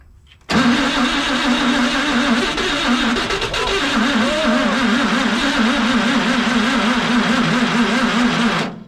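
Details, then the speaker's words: CMP engine, timing just set with a strobe light, cranking about eight seconds with a few ragged firing beats but never running; most it has ever done, needs more cranking speed. "Alright, that's the most it's ever done. I can smell it. Contact. Needs more speed."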